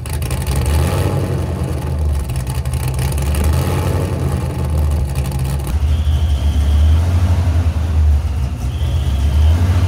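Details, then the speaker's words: Supercharged Mazda RX-7 FD rotary on standalone Fuel Tech FT550 ECU, first running in about 5 years, timing checked with timing light and dead on: deep idle whose pitch keeps hunting, an idle surge still to be tuned out. "I'm thinking if you want to try to get it fired up again, I'll try to get that surge out of it."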